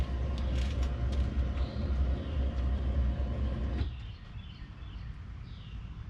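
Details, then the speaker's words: 1989 Chevy with no-start after external fuel pressure regulator, new fuel filter, return line, new starter, swapped cam sensor wires and coil pack harnesses: starter cranks steadily, seems to try but never fires, no leaks; crank no start. "She sound like she want to do something a few times. Trying not to kill the battery."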